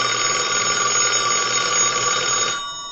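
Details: Allen commercial telephone after board repair, previously would not hang up or ring, tested on a line analyzer: bright rapid bell trill rings strong and even about two and a half seconds, stops cleanly; ringer works.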